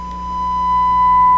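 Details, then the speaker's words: Sparton 1567 tube radio, on the 6-18 MHz shortwave band with a 10 MHz signal fed to the antenna: a steady tone of about one kilohertz comes through harsh and distorted, as if a stage is being overloaded; cause not confirmed. "ooh sounds distorted doesn't it sounds like something's being overloaded"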